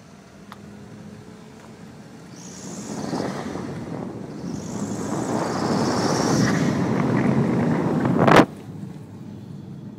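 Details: Skoda Octavia vRS started from cold and revved quickly: a high whistling chirp rides over the rising engine roar, a strange noise of unknown cause.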